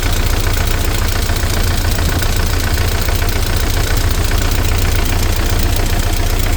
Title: Змз 409. Стук гидрокомпенсаторов и цепи